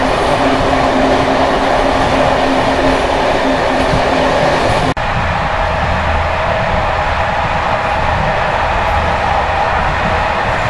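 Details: Bd264 481 coach (built 1979) on high-mileage Görlitz V bogies, uneven line 190 near Hluboká nad Vltavou–Číčenice; loud steady rolling roar with loose irregular rattle over rail clicks as worn brake rigging bounces.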